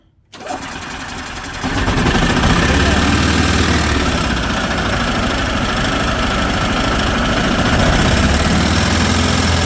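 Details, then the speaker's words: 2010 Yamaha Drive G29 golf cart after cleaning and air cleaner reinstall, lean running fixed: engine catches after a brief crank and settles into a steady, even low idle with no misses or hunting. "it did uh fix its little run issue it was just a little bit lean before but but it's doing good now"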